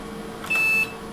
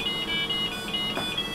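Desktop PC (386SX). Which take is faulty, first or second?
first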